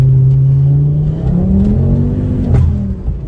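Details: Mk2 Ford Focus ST that had lost boost, with engine warning lights, accelerating: engine note climbs steadily as revs rise, clean smooth pull with no flutter or hiss; turbo now boosting properly.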